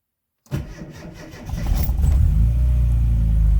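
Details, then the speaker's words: Rover Mini Cooper MPI starting after winter hibernation on a battery charger, fitted with the wrong battery for the car: a sluggish, dragging starter for about 1.5 seconds before it catches and idles; slow cranking from a weak battery. "we are so the plane the battery is getting a bit flat it's the complete wrong battery for this car i need to buy another one this year"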